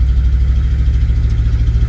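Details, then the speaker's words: 1977 Chevy C10 350 V8 with Quadrajet carburetor, cold with no choke hooked up, after new spark plug wires: low uneven loping idle with a pulsing beat, some popping through the carburetor; owner suspects a worn cam or carburetor base gasket. "and uh yeah it's still kind of it may be that the cam is wore out in it"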